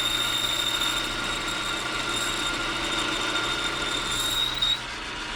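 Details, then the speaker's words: Boring a part for a Rockwell Delta 6 in. tool grinder with a smaller boring bar and insert: harsh, steady high-pitched squeal rings through the whole cut and quiets as it stops. Boring bar chatter, cause unconfirmed; the insert is turned to a fresh edge next. "terrible. Doesn't look terrible, but boy, does it ever sound terrible."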